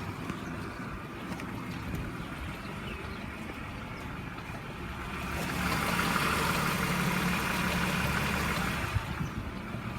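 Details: BMW E46 323i, built 04/99, M52B25TU engine at idle: a steady, fast light rattle of three to four beats a second, cause unclear. Already replaced: oil, hydraulic lifter adaptation, a complete Vanos unit with anti-rattle kit, plugs, coils and left and top chain tensioners.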